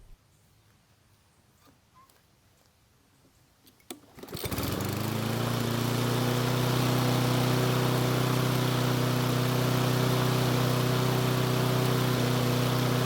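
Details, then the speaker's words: Toro mower after plug check: catches and settles into a steady fast, high-pitched run well above normal idle, slightly uneven; engine speed accidentally set too high, starts better but still runs a bit uneven. "so the engine speed was set too high and that's my fault and that's because i was messing with it when the engine was running poorly"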